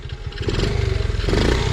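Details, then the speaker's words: Honda Z50R dirt bike; quick, even single-cylinder pulses build smoothly with the throttle with no misses. Runs cleanly and much better than before. "Seems to be running a lot better than what it is, what it was."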